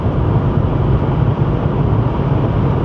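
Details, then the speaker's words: 1988 Chevrolet Cavalier Z24 cruising at a steady 65 mph on cruise control, heard from inside the cabin: only a smooth, low road-and-engine rumble with no wind leaking through the seals and no dashboard or door rattles, a normal quiet cabin. "what you're hearing is silence there's no wind leaking through the seals there's no rattling from the plastic dashboard or the plastic doors"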